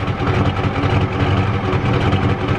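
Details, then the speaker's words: 1993 Ford F-250 XLT 7.3L IDI diesel, hot after long idle, water pump out: lumpy, uneven idle with a hunting, chuffing beat. Owner suspects it is flooding out and out of time, unconfirmed. "so sounds like it's flooding out yeah it's out of time"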